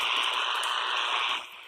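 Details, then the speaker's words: CB radio base station heard through a walkie-talkie while searching the property for an antenna spot: a steady, harsh interference hiss that drops quieter near the end at a quieter location. Source unknown. "I've been walking around my property hear that loud loud noise so what I do is I walk around my property with the walkie-talkie and I had to find the quiet spot for my antenna"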